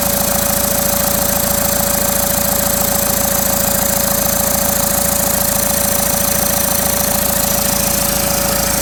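Diesel idles with steady clatter and a constant thin whistle riding on top; sounds like a turbo problem. Cause suspected, not confirmed.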